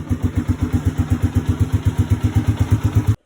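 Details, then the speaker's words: Yamaha Sniper 150 on its first cold start of the morning: heavy, coarse chugging about four times a second as the starter cranks, then it cuts off without firing; starter motor sounds rough and labouring. "So kung minsan, 'di ba, pag ini-start ko yung motor, may naririnig kayong parang ang gaspang ng starter motor."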